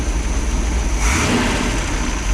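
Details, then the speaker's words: Freshly rebuilt 1968 Pontiac 400 high-compression small-valve engine after fixing a cam and wrong-intake issue, break-in with no transmission or load: steady V8 rumble snapping up on a quick throttle blip and settling cleanly, responsive, not sluggish. "But it is responsive. It's not sluggish. It's very responsive,"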